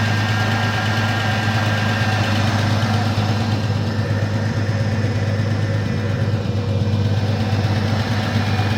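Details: 1984 Ford F-150 abandoned in the woods since 2008, first start in ten years on old treated pre-ethanol gas and a new battery: steady even low rumble, no knocks, misses or surges, running smoothly under its own power.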